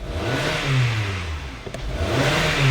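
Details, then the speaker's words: 2015 Hyundai Sonata 2.4 L with several dash warning lights and tachometer stuck at zero: engine revved twice, climbing and falling smoothly with no misfire, knock or hesitation; normal engine revving. "I rev up the engine you can hear the engine rev but our our RPM gauge is not moving so the tachometer doesn't move"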